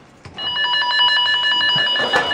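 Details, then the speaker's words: Cable tone tracer: the tone generator is on the de-energized cable, and the contactless probe follows the cable tray toward the cold room. Loud, clear warbling pulses repeat without dropouts, so the probe is still on the traced cable. "Voilà, là tu es toujours bon, là tu peux avancer. Donc là tu es toujours bon, tu l'as toujours."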